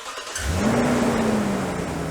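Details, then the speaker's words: 2015 Toyota Tundra V8 start right after fan clutch replacement; catches quickly, revs to smooth steady run with strong fan airflow from tight clutch, no squeal or chirp: normal start. "Oh, hey, no squeal. Okay, so right now we got a lot of air flowing because the clutch is pretty tight."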